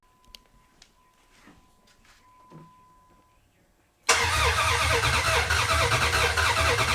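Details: 2004 Dodge Ram Rumble Bee, freshly swapped 6.1 HEMI V8 from 2006 SRT Charger, first start: catches after a pause and runs loud with a slightly uneven beat; rough idle, suspected open port on intake needing a plug.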